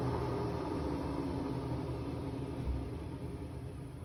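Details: Hotpoint Aquarius WMA58 washing machine on a 1400 rpm spin: loud continuous low roar and rumble that fades slightly as it runs, from bad drum bearings.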